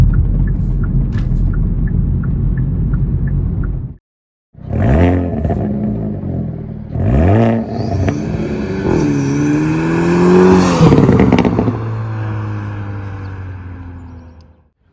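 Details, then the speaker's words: Hyundai Elantra N pulling hard on the highway to pass: rapid rattling flutter about three beats a second over the engine; a torn splash shield with missing push rivets flapping in the airflow, not engine damage. "You guys heard that noise. I mean, that's super scary to hear when you're on the highway doing a, you know, a pull to pass a car."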